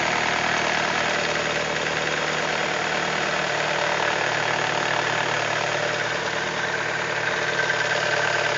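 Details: BMW E46 318i at idle: steady idle with a faint, irregular ticking about three a second riding over it; owner asks what the strange engine noise is, cause unknown.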